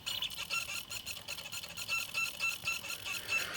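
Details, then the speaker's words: Pioneer PD-4100 CD player with a disc in: high chirpy squeaks about four times a second as the laser sled moves back and forth searching for information it cannot find. "That's the laser moving back and forth, looking for the information."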